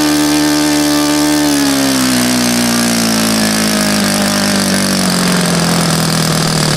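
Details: Saito FA-100 four-stroke model engine after rebuild with new bearings, gasket set and tappets (exhaust tappet was mushroomed), APC 14x6 prop, Omega 10% fuel, OS F plug: strong, even buzz winding down smoothly, no misses or knocks; normal running.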